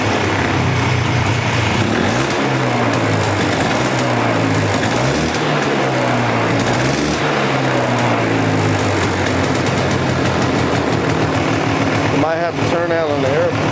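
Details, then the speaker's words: Polaris Explorer 400 two-stroke ATV, just started on choke in neutral, straight gas with oil injection: rough, fluttery idle with rpm wavering unevenly; likely a lean mixture needing the air screw adjusted. "a little bit. Not sure yet. Sounds kind of fluttery."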